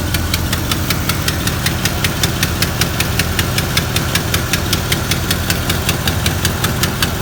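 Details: Chevy 350 V8 at idle with sharp, even ticks about two and a half per second riding over a steady idle rumble; ticking noise of unknown cause.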